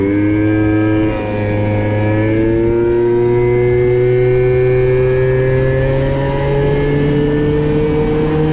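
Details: Mobylette/MBK moped two-stroke engine after the carburettor was leaned out, top speed raised from 30 to 70 km/h: loud buzz with a clean tone climbing smoothly as revs build, pulling evenly with no misfire or stumble. Normal running.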